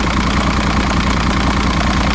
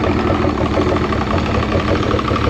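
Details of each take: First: 2006 Evinrude 90 E-TEC outboard after fuel pump work; smooth even low idle burble, no misses or surging; no active faults, engine temperature about right, good battery voltage. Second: 2006 Evinrude 90 E-TEC two-stroke outboard after correcting reversed aftermarket fuel pump wiring, 15 psi fuel pressure, old oil-mixed fuel; uneven ragged wavering idle, wants to pick up but may not stay running. Compression good, so suspected fuel starvation.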